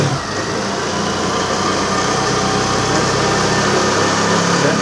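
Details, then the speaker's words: TVS Access 125 BS6 scooter with hard starting, jerking and stalling while riding, after fuel pressure check and reconnection: small engine starts and settles into a steady, even idle with no stumbling or dying; idling properly. "అయితే start చేసింది"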